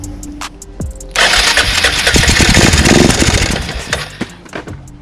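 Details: 2002 Arctic Cat 375 4x4 ATV, revived after sitting abandoned, with a new starter solenoid and relay and after fuel tank washout and carburetor work: a brief crank on the button, then it catches and runs with a quick rattly beat; normal start.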